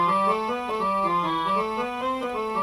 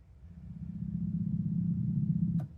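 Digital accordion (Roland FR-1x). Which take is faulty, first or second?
second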